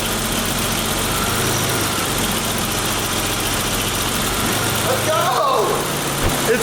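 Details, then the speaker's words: BMW E34 after power steering pump rebuild, new reservoir and missing bolt replaced (suspected air leak): smooth idle, wheel turned, no pump whine or groan, previously loud whine. Normal power steering, no pump whine. "it sounds so good now i really think that the missing bolt was what was doing most of that leaking air"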